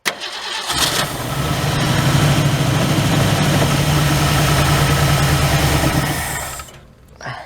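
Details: 1967 Ford Galaxie 500, 289 V8 with two-barrel carb, first start attempt after 25 years: even cranking about three beats a second, nearly catches but won't run; owners suspect fuel delivery, possibly clogged filter, planning a fuel pump.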